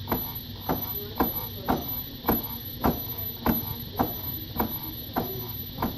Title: Popping noise on Msuper v3 s 1300wh